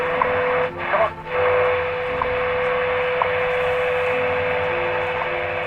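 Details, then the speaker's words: 1934 Westinghouse WR-24 radio after restoration, new antenna setup, tuned to 10 MHz time station; steady tone with clean tick each second through hiss, more gain on shortwave though still weak: normal shortwave reception. "I get a lot more gained now on the shortwave still doesn't pick up that great but what I'm getting I can at least hear it"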